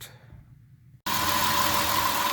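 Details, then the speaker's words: 2003 Dodge Grand Caravan 3.3 with 372,528 miles runs with a steady, even rush and faint tone after a new quiet-technology belt is fitted; the hissing and chirping on acceleration is gone, and the belt was the cause. "i think you can hear the difference now it sounds much better so you can hear that the chirping and the hissing noise is gone"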